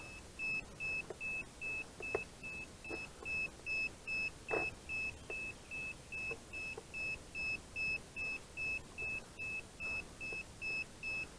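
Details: DJI Phantom 4 Advanced remote (GL300C): steady high beeps, two to three a second, repeating continuously; left stick won't center or calibrate because its stick carrier is broken.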